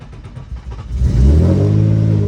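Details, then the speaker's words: Nissan 350Z started after fitting two new inner sensors (one on each side) for an existing running fault: cranks, catches and settles into a lumpy, uneven idle; same problem remains, cause not found. "Still have the same problem, boys. Well, that's unfortunate."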